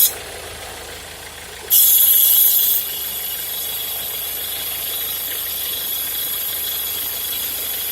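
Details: Peugeot Partner 1.6 at idle: a steady high-pitched whine rides over the engine and holds its pitch. It is an unidentified strange engine noise, cause not known.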